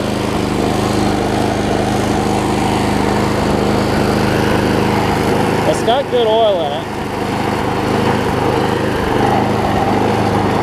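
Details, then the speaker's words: Troy-Bilt push mower, Briggs 5hp Quantum, after cleaning the main carb jet and spraying carb cleaner, started on the first pull: steady even buzz at constant speed, no surging, sputter or knock; smoke has cleared, running well. "again we're just making sure that it runs they run first off for those clear up some things and the smokes cleared up too so that's good"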